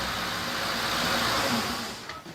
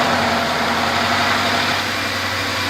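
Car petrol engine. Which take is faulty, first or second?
first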